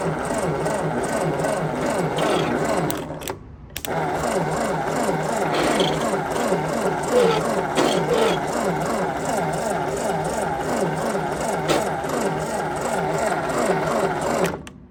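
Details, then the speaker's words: 1952 Ford 8N tractor with low compression and weak spark, owner suspects stuck rings; coil replaced with 12 V coil plus resistor: steady starter churn about three turns a second, no firing catch. Cranking no-start. "So, she don't want to start. Let's just see if we have fire."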